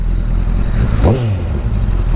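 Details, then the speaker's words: Honda CBR1000RR without fairings, riding in traffic after fixing bogging and cutting-out power problem: clean rev blips rising and falling over steady rumble, pulls smoothly without stutter or cutting out; runs perfect. "So I'm headed to work and my bike runs perfect, and now I'm stuck in traffic."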